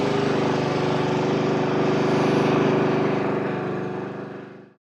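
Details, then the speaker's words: Honda HRX mower engine that had been surging, after its carburetor was removed and cleaned: it holds an even, steady beat with no hunting or surging, then winds down cleanly at shutoff. "That sounds good."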